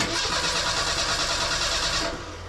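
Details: Merkur XR4Ti after an engine swap, cranked again. The starter spins steadily for about two seconds and the engine never fires: crank, no start. Poor fuel is suspected.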